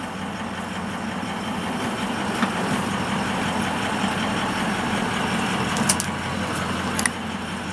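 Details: 2004 Ford F-350 6.0 diesel at 190k with new injectors, new oil cooler and EGR delete, started before its Cummins swap; steady, even diesel clatter at idle with a smooth low rumble, no misses or knocks, healthy.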